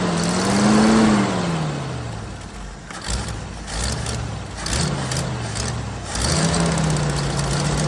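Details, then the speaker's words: 1979 Jeep CJ5 after sitting since 2019, running on old tank fuel with carb/choke cleaner sprayed in: revs rise and sag unevenly, never settling; rough running, owner suspects carburetor and tank. "got some some carbon choke cleaner here the car probably needs to come off of it and the tank probably need drop"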